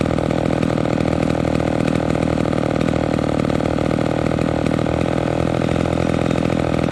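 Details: Homelite XL12 vintage chainsaw two-stroke after low-speed mixture screw adjustment: crisp steady buzz holding an even idle without loading up, good throttle response; normal idle.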